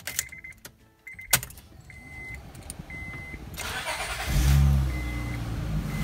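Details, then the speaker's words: Honda Pilot 3.5L (2005–12) after timing belt, water pump and tensioner replacement: door chime, brief crank, engine catches at once and settles into smooth, even idle; normal start and idle. "runs like nothing ever happened"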